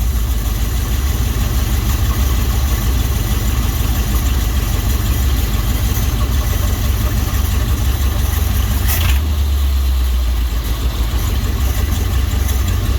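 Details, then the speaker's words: 1955 Dodge after fitting a used eBay transmission, idle screw turned down to just above stalling: low, slow, even rumble with no misses, transmission whirring audible; normal idle at 1950s spec. "There we go. There's the 1950s idle spec."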